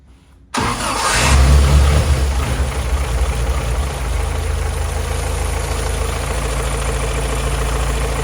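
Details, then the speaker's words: 1949 Willys Overland Jeep, rebuilt engine, first start after valve adjustment and timing set: short crank, catches right away and flares up, then settles into a steady, even idle with no misses or knocks; healthy. "We follow the instructions in the manual, and now we have a good running motor. It sounds very good."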